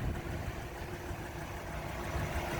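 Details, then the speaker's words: 1953 Buick Roadmaster Model 79R Woody wagon V8, on a 28°F day, parked at idle inside the cabin with heater running: very quiet, smooth, even low idle, almost silent; normal healthy idle. "just listen the thing is almost silent it runs beautifully"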